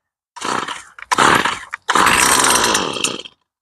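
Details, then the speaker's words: STIHL two-stroke string trimmer, cold start after long standing, switch on, throttle locked, primer pumped, full choke: three short high buzzing bursts that catch and die within a second each; normal first firing on choke. "Stroj naštartujeme. Ako náhle ho naštartujeme, chytí a rovno zhasne."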